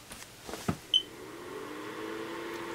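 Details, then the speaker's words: ProsKit SS-331 desoldering station after fitting quieter replacement fan: few clicks then fan spins up to soft steady hum, no rattle or casing vibration; remaining sound mainly from the rear. "i mean most of the sound is actually now coming out the back it's not the casing it's vibrating like it was before"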